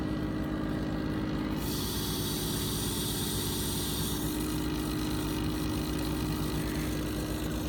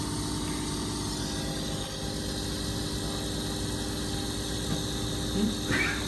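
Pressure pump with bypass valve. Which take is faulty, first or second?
second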